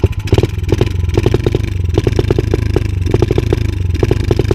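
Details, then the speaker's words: 125 cc dirt bike, fuel confirmed flowing: revving in uneven, clattery bursts, choking and stuttering instead of picking up cleanly, worse when the air is restricted; owner suspects the air filter. The engine stumbles under throttle. "Elle ratatouille, c'est un truc de dingue. Je sais pas quoi faire."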